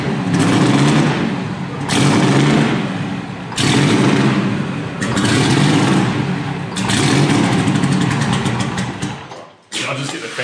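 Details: Detroit Diesel 4-71 marine engine, first start after rebuild with a new cooling pipe, exhaust cooling hose, engine mount and oil pressure sender: it cranks in heavy surges, then catches and settles into a lumpy run; normal start.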